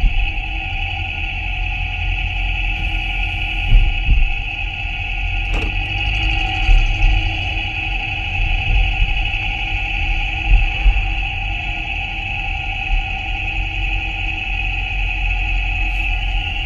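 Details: 2017 Jeep Grand Cherokee Trailhawk (WK2) coasting/decelerating around 1,100 rpm in any gear, e.g. third, ChassisEAR microphone on the exhaust pipe: steady high whine with faint grinding over low rumble; cause was worn timing chain guides.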